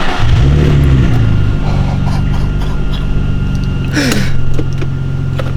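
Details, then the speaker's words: Nissan 350Z just fitted with a Cobra non-resonated exhaust and TP34 tips, filmed at first start on collection: deep, loud, steady rumble settling evenly, no knocks or rattles; normal throaty exhaust note. "ma réaction quand je démarre la voiture pour par rapport au bruit qu'elle faisait j'étais vraiment choqué et excitant comme jamais"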